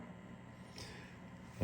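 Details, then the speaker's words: Fender Deluxe Reverb reissue with a Frommel mod kit, all controls down except the reverb circuit: faint hiss, then sudden popping and crackle from a bad original reverb recovery tube; the noise goes away with a new tube. "That is coming from your recovery tube. These are your original tubes. This one is bad. Small popping sound."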